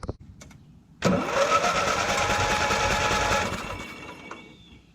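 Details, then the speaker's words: Murray ride-on lawn mower that sat 1–2 years: sluggish, labored cranking about three to four turns per second that never catches despite spark; either battery dead or starter failing, starter found broken. "So either that battery's dead, or this is, starter might be going not very well."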